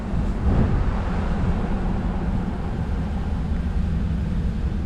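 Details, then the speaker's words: Cadillac Escalade locking rear axle after repair, on a test drive while braking: only a smooth, low road rumble with no whine, clunk or grind; the earlier noise is gone and the repair succeeded. "don't hear it while breaking very good success this was victory see you guys later"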